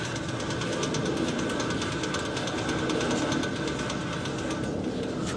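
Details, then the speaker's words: 2010 Honda Odyssey wheel hub turned by hand with the brake caliper and rotor removed: rough, uneven grinding and ticking at three or four clicks a second, hub not turning smoothly or freely; worn hub bearing, assembly being replaced. "kay so now without the brick path and the Britain I can turn this but it doesn't turn smooth I don't know if you could hear the grinding noise did you hear that and there's some ticking noise"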